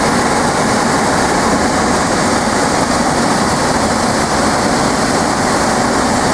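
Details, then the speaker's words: Replacement 3/4 HP blower motor from an old air handler or furnace, squirrel-cage shop fan, first power-up with an amp probe on: steady rush of air and constant drone, no knocks or rubbing, running normally. "go ahead and turn that on wow and throws out some air"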